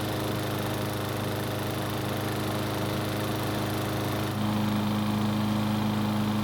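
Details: Troy-Bilt XP mower that would not start, now running after repair and blade balancing and installation: steady even drone, pitch stepping up slightly partway through; engine runs cleanly.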